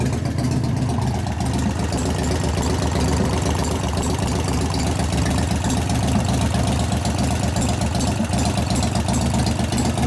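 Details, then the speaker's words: 1988 Harley FXR V-twin at idle, warming up: a steady, fast tapping over the uneven beat from a rear lifter not pumping up as it should. Confirmed as the lifter, not the valvetrain. Hydraulic lifter knock. "so it's definitely lifters the lifter is not pumping up like it should it's definitely not working but it's definitely not a valve trainer issue it's in the lifter"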